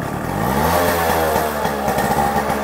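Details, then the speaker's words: Yamaha RX100 two-stroke after engine repair, previously smoky with a bad sound: crisp buzz climbing cleanly with throttle, no rattle or misfire; healthy running. "बिल्कुल real are एक वाली आवाज आ रही है पहले खराब हो रही थी आवाज"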